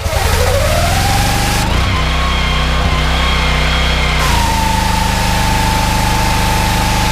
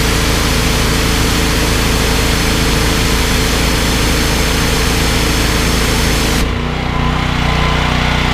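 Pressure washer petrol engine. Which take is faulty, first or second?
first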